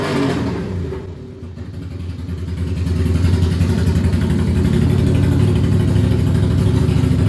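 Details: Ducati Monster 695 café racer after rewiring and new coils/HT leads, restarted for a headlight test: loud, lumpy V-twin beat settling into a steady, even idle about three to four pulses a second; healthy, runs fine.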